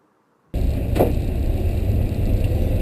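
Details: 1952 Ford pickup with Ford 351 Cleveland V8, automatic with floor shifter, raised motor mounts, new fuel pump, driven maybe 40 miles: fires quickly, settles into a deep even V8 rumble with no knocks or misses; normal healthy running.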